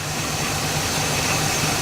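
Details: El Camino first start after 15 years with fresh gas and primed carb; steady even run with hissy top end, no knocks or misses; idling smoothly.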